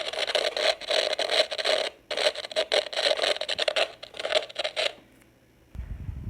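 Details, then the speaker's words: PC speakers emit bursts of hissy crackling static when the volume is raised or lowered, from a ground loop or poor or missing grounding; the fix uses an old USB phone charger. "E aí E aí e a sua caixa de som está emitindo esse ruído o chiado quando você aumenta o diminuir o volume"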